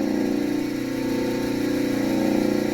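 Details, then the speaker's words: Old Montgomery Ward Powercraft bandsaw motor run with the worn drive belt removed, before rebuild: smooth, steady, quiet low hum with no rattle, grind or bearing noise; normal motor running. "After removing the drive belt, which has also seen better days, I started the motor and was surprised to hear how quiet it ran."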